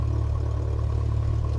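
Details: Light aircraft engine at first ground run, about 1,000 rpm, oil pressure up, fuel pressure reading low: steady, even low drone with no knocks or stumbles; normal idle.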